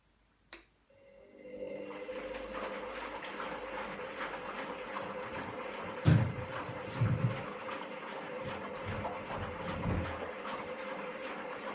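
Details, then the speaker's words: Candy GVS169D3/1-80 Grand O Vita 9kg washing machine after replacing the failed triac (motor controller) on the control board to fix error E09. Water sloshes as the drum agitates with a steady motor hum and no grinding. Normal wash cycle, about 12 minutes left. "so renowned to 12 minutes now it seems to be working just fine"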